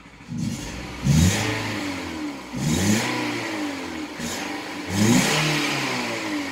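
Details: 2008 Nissan Versa hatchback, 1.8L petrol, about 188,000 miles, check engine light had been flashing: revved in short bursts with a rough, stumbling note; misfire traced to failing ignition coils.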